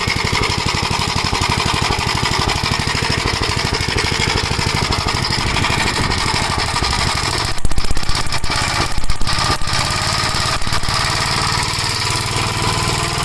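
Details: 1956 Gravely Model L single-cylinder under load, governor removed, after full-throttle running: choppy beat with irregular pops and stumbles, smoking; owner suspects oil-fouled plug, possibly broken ring; carburetor and points fine; unconfirmed.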